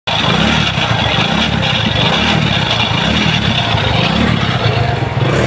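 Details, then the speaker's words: Motorcycle (V15) engine running after a full engine rebuild, with the noise remaining afterwards: rough, uneven clatter over a low thrum; clearly abnormal mechanical noise, source not pinned down. "আর এই যে ভি15 এর ইঞ্জিনের আওয়াজ খুবই খারাপ হয়ে আছে, তাই আপনারা শুনবেন।"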